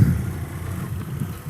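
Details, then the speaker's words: Motorcycle idling after a workshop repair and oil change for water that got into the engine during Honduras floods and caused a growing engine noise: steady, low, even idle with no knocks, ticks or misses, engine healthy. "Nous revoilà avec le petit cheval qui rugit !"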